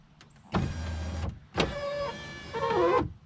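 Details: 2015 Chevrolet Camaro LS passenger window after new regulator and motor installed, key on: two smooth, even motor runs under a second each, steady whirr with clean stops, no grinding or binding; the window works properly.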